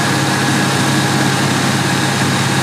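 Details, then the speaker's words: 2002 Ford F150 Lightning 5.4 supercharged, being diagnosed for P0171/P0174 lean codes, holding high idle after some runtime: steady even idle with no miss or hunting; short-term fuel trims within ±5, long-term trims 0 and 0, normal. "Alright, we're holding high idle. We're watching these short terms bounce between some negative numbers and some positive numbers, all within that ±5 bracket."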